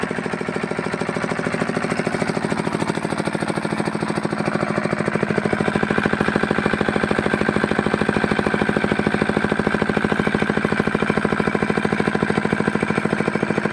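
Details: Fitter diesel engine pump after removing air from the pump: fast, very even firing at steady speed with no misses or knocks; single-cylinder diesel running smoothly and healthy.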